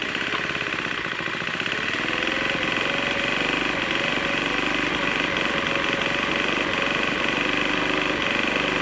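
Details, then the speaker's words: Troy-Bilt TB4HB EC leaf blower, unstarted 4–5 years, full choke, primed: uneven choppy chatter with irregular beat, no steady rhythm, running rough. Breather loaded with oil; owner suspects compression leaking past rings, cause unconfirmed. "Okay, sometimes things just don't go the way you plan. After we got this started, it was running really rough."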